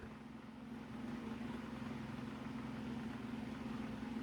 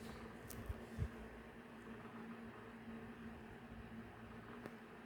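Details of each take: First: Mainstays 12-inch oscillating table fan on medium speed, grille bent; steady low buzz over a soft whoosh, loud vibration from the housing while the motor itself is quiet; fan vibration noise. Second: Mainstays 12" oscillating table fan running. A quiet, steady low hum with even airflow hiss: a whisper-quiet motor that hums less than other table fans, though some rattle is noted.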